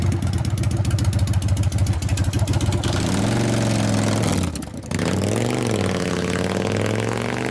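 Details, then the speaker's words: 1999 Harley 80ci Evo rigid on road test after repair of a previous clanking: V-twin pulls cleanly through the gears, revs rising and dropping smoothly each shift, no clatter or knocking; runs tight and pulls well. "I didn't do any burnouts but it went through the gears pretty good and it definitely pulls"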